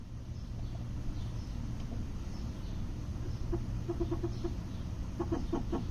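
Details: 2008 Toyota Prius stopped: low rumble, then quick bursts of clucking chirps while the brake pedal is held at a standstill; cause unidentified.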